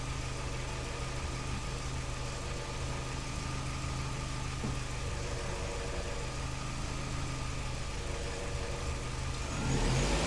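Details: 2005 Vauxhall Astra G 1.6 Twin Port with multiple fault codes, low power and fans running continuously: idle wavers unevenly, about three or four beats a second with irregular stumble; lumpy idle, cause unknown.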